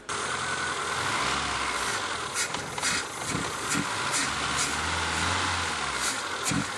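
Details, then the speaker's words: ZAZ Slavuta injection engine with hunting idle caused by a dirty throttle body: throttle held open at a steady raised rev, otherwise it stalls, with hissing bursts of carburetor cleaner sprayed into the intake to clear soot from the throttle and intake manifold. "Nếu không phải là khí, thì do thiếu Không khí, chiếc xe sẽ bị đình trệ. Do đó nó là cần thiết để liên tục mở ga, có Trợ lý hoặc chính mình."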